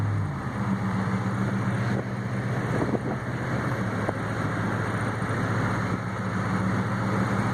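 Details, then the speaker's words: Chevy truck with a brand-new motor, plus new exhaust, battery and radiator, driving and accelerating through the gears: smooth, steady low drone with no knocks or slips, shifting evenly; runs great, normal. "We'll stop and do it again, so you guys know how good it runs. Brand new motor. It's running great."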